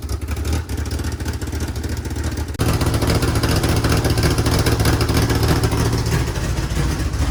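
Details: DSM build after mocking up a new belt-driven mechanical fuel pump; engine runs loud and raw, then picks up cleanly and holds a strong, even note with no misses or knocks, healthy running.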